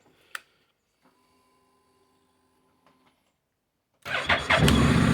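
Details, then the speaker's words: Honda NC 750 X DCT motorcycle, cold start on choke: quiet, brief whirr, then catches instantly and settles into a steady, even idle with raised revs; starts and runs cleanly. "pali naprawdę pięknie chodzi"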